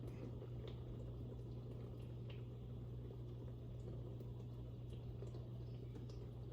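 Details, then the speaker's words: Dishwasher after removing a piece of plastic and glass from strainers that caused a loud humming noise, rinse-only cycle: low steady hum under soft trickling water, no drone or rattle; running normally after repair. "There you have it, folks. Operating as it should."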